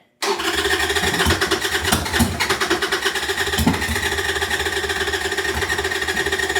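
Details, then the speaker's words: 1998 Harley-Davidson Sportster sitting over a year, stale gas and dirty fuel filter, new lithium battery: starter cranks steadily while the engine catches on a few cylinders briefly then drops back; cranking with occasional firing. "I'm not necessarily expecting it to start, but I am expecting it to crank really good."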